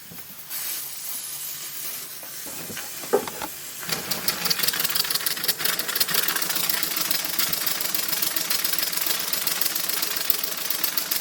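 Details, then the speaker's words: Maxwell Hemmens Birmingham Dribbler model steam locomotive, valve fully open: steady hiss, then rapid, uneven wet spitting chuffs as it spins up. The boiler is priming from not having been steamed recently, and should improve as the water level drops. "But the boiler's priming because it's not been. You're going to have to steam it a few times."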